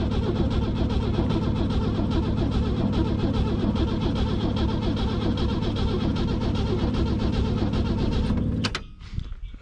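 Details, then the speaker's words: 1964 Rambler American 440 wagon, 232 inline-six, not run for 26 years, with gas poured into the carburetor: steady cranking at about 2.5 turns per second for nearly nine seconds, never catches; crank no-start, ignition not yet checked, points uncleaned. "let's see if it'll hit off without even really doing anything to it nope"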